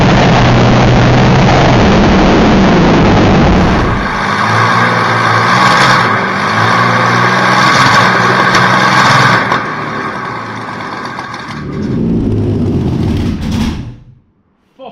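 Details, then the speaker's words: WW2-era Meteor V12 tank engine with new magnetos and fuel pumps: catches and settles into a loud, steady open-exhaust rumble before shutting down; runs evenly, healthy. "the engine fires up which will demonstrate for you now that it is a runner and it makes absolutely stunning noises you can feel the thing start up"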